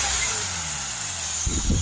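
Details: Mercedes E350 V6 CDI diesel with high DPF soot/fill-level faults: loud steady hiss of escaping air swelling as revs rise, a massive boost leak from a pressurised intake hose near the sensor, shown by deflected spray; oil present nearby.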